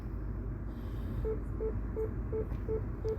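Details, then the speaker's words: Mini Cooper Clubman (R55) in reverse after fitting a genuine rear parking sensor replacing failed cheap ones and clearing faults: steady short beeps about three per second over quiet cabin hum; parking sensors working, no codes. "hope you can hear that we have parking sensors I do recodes no codes"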